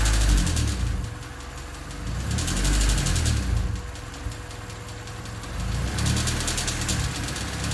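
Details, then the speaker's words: Honda D16Y8 with a new header: rapid, uneven top-end chattering over the idle that quickens as the throttle opens. A stethoscope places it in the head around cylinders 1 and 2; the owner suspects valves rather than rod knock. "So as you can hear, it's still chattering quite a bit, and it gets faster as the throttle opens up. It still sounds a lot like valves to me,"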